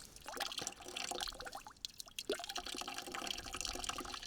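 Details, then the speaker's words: Garden hose, about 200 ft long, pressure set at the spigot and hose lifted; soft irregular dripping and gurgling, gentle trickle without pressure hiss as water fills the vertical section; normal slow trickle flow. "So the slow trickle has to fill up that vertical air. It'll come out in a second."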